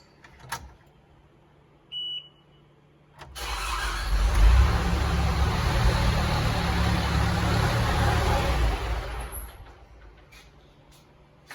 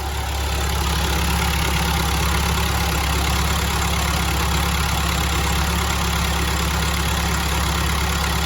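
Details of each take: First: Diesel telehandler with fuel issue, after replacing the fuel pump (fuel from mechanical pump was low volume, white, milky and airy): even cranking about three to four turns a second, no firing; new pump made no change, cause unconfirmed. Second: Telehandler diesel after cleaning the gunked lift pump and new fuel lines: steady, deep idle holding an even beat with no stumbling or hunting; normal idle, fuel issue hopefully solved.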